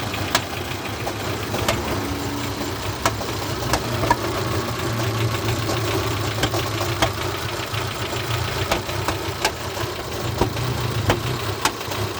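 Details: Peugeot 301 idling unevenly with sharp, irregular pops about every second; misfire and power loss that owner links to warm-up and suspects a faulty lambda (oxygen) sensor, cause unconfirmed.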